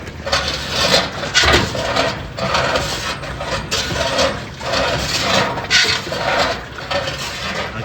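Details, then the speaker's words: General Electric washer whose tub sagged after the machine was lifted with a dolly, worse with heavier loads. A raspy scrape swells and fades with each agitator stroke, about once a second, as the tub rubs the cabinet. "lo que pasa que la tina se va hasta abajo entonces la voy a poner la tapa están bien escucha la sra de esta manera estar pegando la cuerda"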